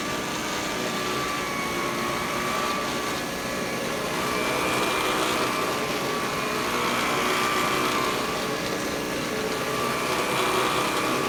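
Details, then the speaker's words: Vintage Electrolux power nozzle (obtained free), before brush roll replacement: steady high motor whir with a faint rapid flutter, about three to four beats a second, from the worn brush roll spinning; noisy brush roll. "So, here we go. Let's listen to what this Lux sounds like before I change the brush roll."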